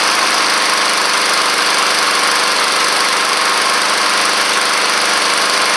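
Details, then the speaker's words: Honda Harmony II push mower, previously neglected, after air filter replacement: steady even idle hum without misses or surging; oscillates if throttle set too low. "So as you can hear there, if you try to put the throttle down too low, it will start kind of trying to oscillate on you. but this one came out really nice."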